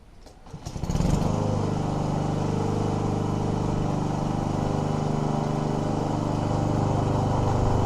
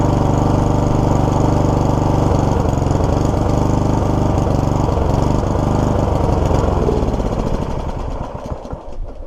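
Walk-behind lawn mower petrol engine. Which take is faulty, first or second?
second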